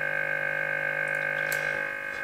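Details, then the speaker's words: 1963 Lafayette HE-40 AC/DC tube amateur receiver: steady low 50 Hz mains hum with even harmonics, from bad wiring and disconnected grounds rather than the smoothing capacitors. "i can tell by the tone of that interference that's 50 hertz that's the frequency is 50 hertz so that's the incoming mains"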